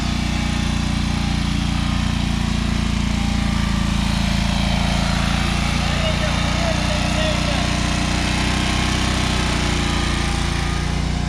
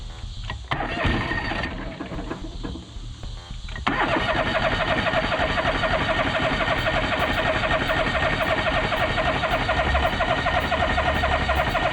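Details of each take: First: Free John Deere 425 all-wheel-steer garden tractor, first run after pickup with no coolant in the radiator; steady even low thrum, no knocks or misses; running normally. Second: John Deere 425 all-wheel-steer lawn tractor: steady fast cranking, about four turns a second, never catching; no fuel from the fuel filter and the tank dry though the gauge showed fuel; fuel starvation, crank no start.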